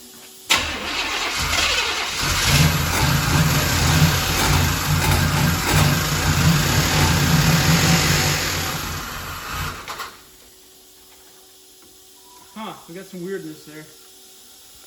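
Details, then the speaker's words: Ex-police 1992 Chevrolet Camaro B4C 1LE V8: catches and settles into a fast idle with an uneven puffing tick on the exhaust note, then shuts off; suspected exhaust donut leak. "sounds like we might have a donut leaf i think"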